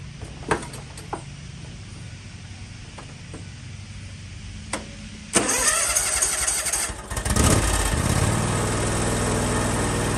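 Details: John Deere X320 mower after ignition switch replacement (part HDK445), previously wouldn't start: a few clicks, then starter catches, engine fires and settles into steady idle; normal start.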